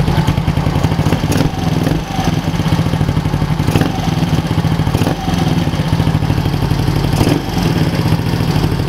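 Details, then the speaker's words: GY6 150 scooter engine with 60mm big bore kit, A-10 cam and ported head, first start-up, valves set to 04: lumpy idle with quick light ticking over the exhaust beat; noisy valve train suspected, tighter valve springs considered. "like the valves are a little noisy. I don't know. They're set to, both of them are set to 04."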